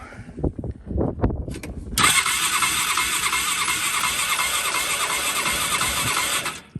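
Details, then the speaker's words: Theft-recovery Polaris Ranger EFI, about 1,500 miles, chewed wiring, brake pressed: brief knocks then steady fast starter whirr about four beats a second with even compression pulses; cranks healthy with compression, no start. "So not too bad. It sounds like it has some compression. I'm happy with that."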